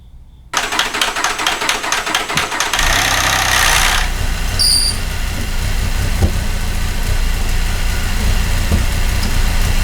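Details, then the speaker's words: 2008 Cadillac CTS 3.6 L direct-injection V6, six months after timing chain job: long rattly crank, then rough uneven idle with irregular thumps; bad cam phasers, all four phasers and thrust washer replaced. "here's what a bad cam phaser sounds like on an 08 CTS direct injection 3.6 l"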